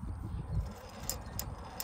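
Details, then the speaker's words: Series 60 diesel, engine off: loose metallic clicks and dull clunks as fan is rocked by hand; fan clutch engages and disengages fine but its rear hub bearing is shot, with visible cage damage and excess play. "hear that that's a shot bearing so the clutch itself is fine i mean it works it engages and disengages deadly care but that bearing on the back"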